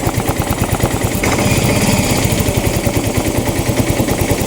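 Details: Yamaha Mio i 125 (M3) that misfires and smokes, with a TPS drifting to 74 from 66 needing readjustment and an O2 sensor not reaching 1 volt: choppy idle exhaust with popping and dropped pulses about three a second. Misfire, cause unconfirmed.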